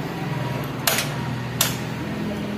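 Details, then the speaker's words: Hero HF Deluxe BS6 that stalls while riding, after battery recharge, ignition cycled: steady low electric hum with two relay clicks. Normal fuel pump priming. "अब है तो pump चल रहा है दो या तीन बार कि नेशन कौन ऑफ कर लेंगे"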